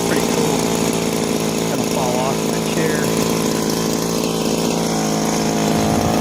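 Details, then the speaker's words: Owner couldn't start this John Deere "25" commercial two-stroke hedge trimmer. It now runs at a steady, high, even buzz with no surging or sputter, on fuel smelling like race gas. It needs an air filter but sounds healthy. "will it run yep it'll run and it sounds good my 25 john deere commercial hedge trimmer it's a winner"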